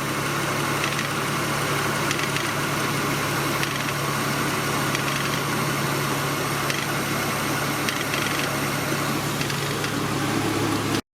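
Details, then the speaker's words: V6 Honda Accord idling, cooling fans not yet on: a loose, busy rattle rides over the steady petrol idle; the tensioner pulley is suspected, not confirmed. "is that in there really hear that sucker rattling now"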